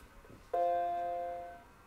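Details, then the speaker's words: Macintosh logic board with floppy drive connected, first power-on: single clean sustained startup chime fading evenly, then cursor and question mark; board working. "okay we got the bong and the cursor and a question mark perfect it seems to work"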